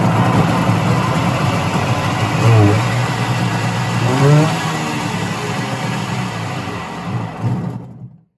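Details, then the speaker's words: Kawasaki JS 440 stand-up jet ski two-stroke, just after carburetor clean and rebuild kit, in closed garage, mixture screws at one turn: crisp revs rise and fall cleanly with steady firing, no misses or bogging; normal running. "sounds really good so we'll see what she does"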